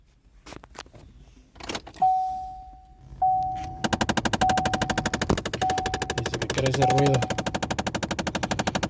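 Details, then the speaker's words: 2010 Chevy Malibu 3.5 running, after a chime: fast, even, sharp rattle-tap throughout that worries the owner; a clear engine knock, fix is replacing parts, exact cause not pinned down. "digo que eso se quita con billetes Disculpen las manos sucias pero trabajando señores Así es este deporte que qu ese ruido le digo que no se preocupe que eso se soluciona Con dinero y reemplazando estas partes"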